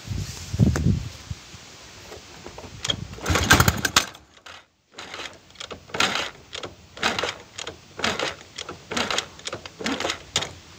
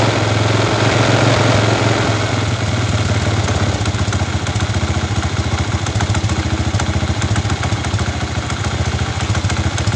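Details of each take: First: Chinese 125cc kick-start motorcycle engine with iron cylinder, five-wire AC-fed CDI from stator: repeated kicks about one per second, only brief coughs, no catch; throttle opened slightly; hard starting caused by over-advanced ignition timing from this CDI. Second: Chinese 125cc iron-cylinder motorcycle engine after swapping to another five-wire AC CDI: starts easily on kick, then idles at an even putter, about three to four beats a second; timing measured as very retarded; normal idle.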